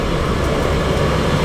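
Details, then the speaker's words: Boat's Cabola diesel heater in the back, hatch opened, running on shore power: a steady, even low rumble with a soft rush of combustion air, no knocks or surges; running normally. "as you can probably hear she's running right now and that's cool but she will only run with SH power"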